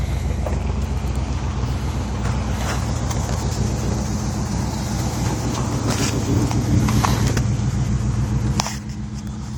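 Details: 1986 Chevy Caprice V8 with new carburetor, distributor cap, rotor, coil, plugs, wires, EGR, PCV, fuel pump and line: lumpy rough idle, then revs rise sluggishly and sag when throttle is blipped, bogging.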